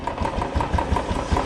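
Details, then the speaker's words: Old restored Royal Enfield Bullet 350 after carburettor flange replacement, previously backfiring repeatedly and stalling off throttle: even low single-cylinder thump holding steady idle, no misses or backfire; normal idle, issue resolved. "तो यह देखो अब सही है back fire भी नहीं कर रही पहले इतनी देर में इतनी बार मतलब फड़ फड़ फड़ फ फ कर रही थी अब तो कर ही नहीं रही है"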